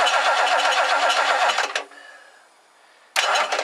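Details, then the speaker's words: 1969 Lincoln Mark III barn find during tune-up: two bursts of fast, even starter churning, never fires; no spark found, owner suspects worn ignition coil gave out, poor plug wires, checking points; crank, no start. "I got no spark this coil is in rough shape I wonder if the coil just totally gave out"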